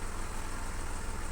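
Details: Renault Kwid that stalled on the road and wouldn't start with a warning light on, fixed by swapping a faulty relay: engine starts and holds a low, even idle rumble with no misses, knocks or hunting.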